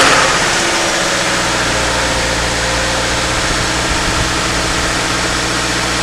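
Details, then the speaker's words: 2013 Subaru Impreza, first start after engine installation, cold and not yet warmed up, weak battery: a steady, even idle with a smooth low hum and no knocks, ticks or misses. Normal idle. "that's what sounds pretty good uh right now still need to warm up"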